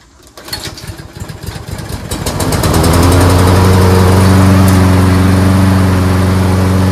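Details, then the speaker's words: Toro rear-wheel-drive Personal Pace self-propelled mower after replacing the broken drive cable: pulls over, catches and runs smooth and steady with no slipping or grinding; self-propel drive works, fixed. "there we go fixed"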